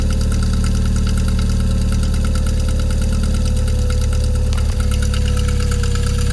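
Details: MR2 3SGTE turbo four idling steadily: light, fast ticking over a strong low hum. Engine clicking at idle, cause unknown.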